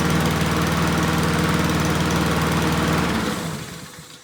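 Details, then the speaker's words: Honda GCV160 lawn mower engine after linkages fixed: starts, revs shoot up then drop, quick steady beat before winding down; surging, owner suspects throttle fault, unconfirmed. "All right, so I don't know if you can tell but when I start it up, um I've had one like this before, but when I start it up it shoots up and then it goes down. It's like It's almost like something's wrong with the throttle."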